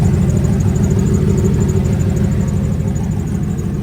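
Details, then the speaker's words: GMC Sierra with turbo LS V8 and big turbo, after flushing the fuel cell, new fuel filter, good fuel pressure, warming up: deep, even V8 rumble at idle with steady beat, no knocks or misses; healthy. "Sounds good, ready to rip."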